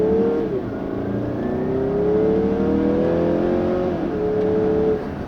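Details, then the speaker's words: 2016 Mazda CX-9 Signature, new turbo engine, at full throttle: pitch climbs steadily, then drops cleanly twice as the transmission short-shifts around 5,500 rpm, where power tapers off; normal acceleration with upshifts, no slipping. "Now, one thing I am noticing when you floor it, the transmission does short shift the engine around 5,500 RPM."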